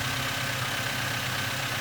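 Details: Toyota Avanza engine first start after overhaul, rpm dropping from about 1500 toward 800 as temperature comes up: steady, even idle with smooth hum and no knocks, misses or hunting; healthy warm idle.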